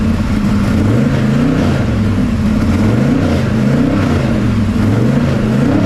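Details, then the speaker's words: Pro street 1969 Camaro with a 540ci Chevy big-block V8, revived with stale fuel and carb bowls drained: lopes and surges unevenly, drone wavering about every second, runs rough and won't idle; ignition timing suspected. "okay it runs it doesn't run well but it runs it doesn't idle and no it doesn't"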